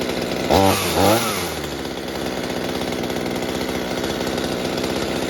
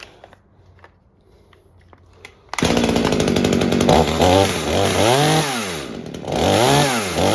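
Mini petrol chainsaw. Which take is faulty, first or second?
second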